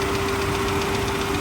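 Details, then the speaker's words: Auction-yard car on a very hot day, feared to need an engine rebuild: a fast, light tapping rattle rides over the warm idle and seems to fade at higher revs, with more vibration than normal, louder on the accessory-belt side; cause not pinned down. "she's shaking too. Definitely vibrating more than it should be. Oh, you can really hear it on this side."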